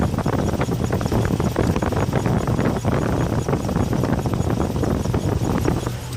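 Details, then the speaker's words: Chevrolet 454 carbureted V8 idling after clearing a blocked air filter and stopping air entering the tank fuel line; deep steady even pulsing beat, no stumbles or misses; normal idle. "so start the car up now okay she's running fantastically listen to this"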